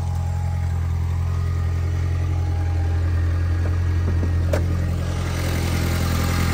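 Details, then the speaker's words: 2003 VW Beetle GLS 1.8T after cylinder head replacement; smooth, even low idle hum with no knocks, misses or hunting, sounds really healthy, normal idle. "sounds really healthy so I'm really pleased with it"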